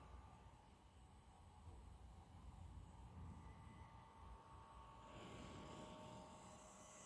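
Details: New Asus ROG Zephyrus GX531GS laptop, as received: loud, steady fan rush with faint thin high-pitched coil whine on top, getting hissier toward the end.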